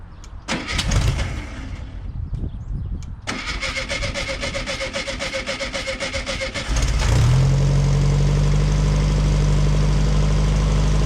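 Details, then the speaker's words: VW Beetle after exhaust leaks fixed and new fuel system and pump fitted: a few false tries, steady cranking, catches and settles to smooth even idle without ticking; much quieter than before. "it's a little bit more quiet than before before it was just like super draining super loud but we fixed all the exhaust leaks so it sounds good man"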